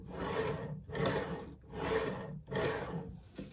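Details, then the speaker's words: Hornby TFW Mk4 DVT model coach, pushed by hand uncoupled to show poor rolling resistance: dry rasping rub on each push, about four strokes in four seconds, fading as it stops; owner suspects axle boxes or wiper pickups, unconfirmed. "You can hear that there's something sort of grinding away. No, I wouldn't say grinding away, but something rubbing anyway. Now that could be either the axle boxes, or it could be the wiper pickups as well."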